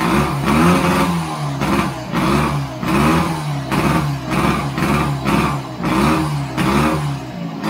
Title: 1929 Scott Flying Squirrel first start after restoration.